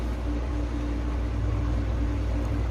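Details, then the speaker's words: Electric fan motor that would not turn, after cleaning, lubrication and a new capacitor: steady, smooth motor hum with a constant low tone, no rubbing or rattling, spinning fast; normal running. "jadi lihat teman-teman kipasnya sudah berkutat dengan sempurna sudah berputar kencang"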